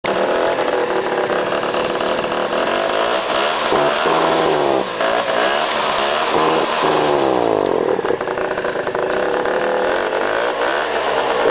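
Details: Peugeot Speedfight two-stroke scooter; buzzy engine rising and falling with throttle, rough and rattly through the revs, strange engine noises of unclear cause.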